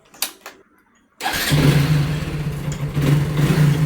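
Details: Motorcycle after the starter motor, which made a noise when cranking, was repaired and refitted: silence, a brief crank, then the engine catches cleanly and settles into a steady, even idle; normal start.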